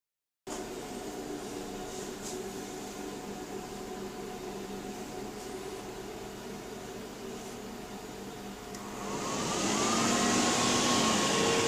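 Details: PowerMac G5 (A1093, single-core 1.8 GHz) won't start: even fan whoosh swells to a loud roar after a few seconds and stays, no boot; cause was RAM banks not filled in pairs, and it ran again once corrected.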